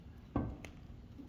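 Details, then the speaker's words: Budget turbo Honda Civic, raised in the air with the front wheel rocked front to back: dull clunks from play in worn tie rods, similar on both sides. Ball joints show no up-down movement; inner tie rods are suspected over the outers. "See how much is moving? That is all in the tie rods. And if I go to the other side, it's virtually the same way."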